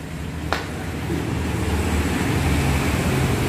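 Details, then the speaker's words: Motorbike overdue for major service, oil down to a quarter, died suddenly; after cleaning injector and throttle body and adding oil to boost weak compression, it starts and settles into a steady, even low putter with no knocks or misses; normal idle. "Jadi gue masukin oli biar kompresinya lebih padat, jadi mesin bakal nyala. Kalau kita starter apa kita engkol langsung nyala."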